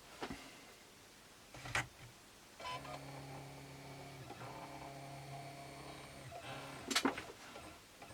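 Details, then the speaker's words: Philips BEP2700 Blu-ray player after a new loading belt was fitted: a click, then about four seconds of smooth, even motor whirring as the tray draws in, ending in a soft clunk; normal disc tray loading. "Packed it loaded up and everything, yeah, that looks fine."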